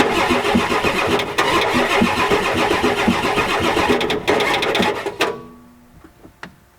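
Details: 1993 Ford F-250 7.3L IDI diesel, fuel now reaching it, glow plugs disconnected, ether tried, weak battery: long steady starter churn about two and a half beats a second with no firing; won't start, suspected bad glow plugs, return lines, O-rings, possibly injection pump.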